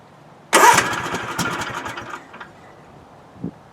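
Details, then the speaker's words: Husqvarna TS246XD riding mower, hard to cold-start since new, now warm: the starter whirs, the engine catches with a few ragged pops, then dies within about two seconds. The owner's trick is to bump the forward accelerator while starting. "well it's warm there so it actually acted like it wants to start but it cut off"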